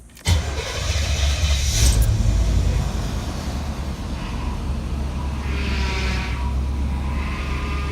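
Quick crank then the engine catches and settles into a smooth, even low rumble; healthy start.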